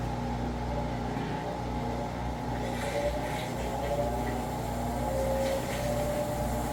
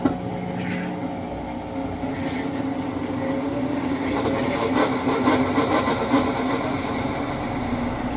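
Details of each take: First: Amana/Whirlpool-type top-load electric washer, empty drain-and-spin after belt conditioner and recalibration: steady low hum and soft whir as it speeds up, no belt screech. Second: Amana/Whirlpool top-load electric washer in drain and spin with lid lock bypassed: steady, grating screech from sticky, binding drive belt; fix is belt conditioner.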